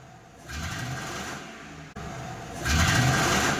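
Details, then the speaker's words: Mercury car revved twice with the check-engine light on: rough, uneven rev as it misfires and loses pickup; scan shows misfires on three cylinders. "जैसे ही check light आता है, गाड़ी जो है missing करने लगता है, मिस फायर होती है और पिकअप बिल्कुल जो है ड्रॉप हो जाता है।"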